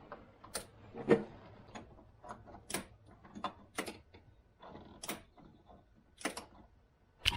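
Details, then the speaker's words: 2013 CFMOTO Z6 during fuel pump and power troubleshooting after an ECM reset: sharp, separate clicks about once a second as the fuel injector is pulsed with power; injector clicking normally. "i hearing the fuel injector pop okay i'm gonna play with that i'm gonna test that with a positive and a negative see if that see if i hear that fuel injector kicking back and forth"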